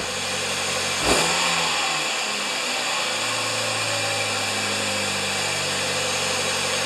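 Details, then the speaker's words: 2010 Kia Soul after fitting an OEM 28113-2K000 air cleaner filter to fix acceleration issues: quick crank and catch, revs flare then drop smoothly to a steady idle, coming down faster than before; normal start and idle. "Idle was coming down faster than last time."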